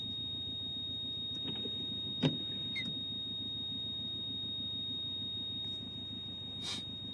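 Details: Subaru Legacy cabin: a thin, steady high-pitched beeping warning tone sounds throughout; source unclear.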